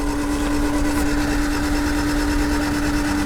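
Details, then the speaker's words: 1991 Honda CRX Si barn find that sat seized since about 2012–2013, now freed and cranked in neutral with plugs out, pushing diesel from the cylinders and making oil pressure. Steady, even cranking with a constant whir and no binding or knocks; the clutch is still stuck. "This thing hasn't turned over since 2013 or honestly probably 2012 because the registration says 2013."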